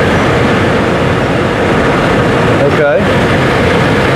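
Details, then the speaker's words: Travel trailer RV furnace blower bench-run after repair to cure a loud-noise complaint. Steady, even rushing air with no rattle, scrape or thump, much quieter than before. Normal blower operation after repair. "fan should come on there in just a few seconds and hopefully it's going to be a whole lot quieter see what happens oh listen to that"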